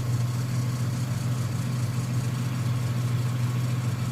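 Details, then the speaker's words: 1995 Nissan Pickup 3.0L, after PCV valve replacement and idle adjustment for cutting out when warm. Idle rose on its own as something adjusts it, giving a smooth, steady low hum with no knocks, misses or hunting. Normal idle. "well we got it went up on its own actually so something is adjusting the idle all the equipment's probably working for the most part so he's happy"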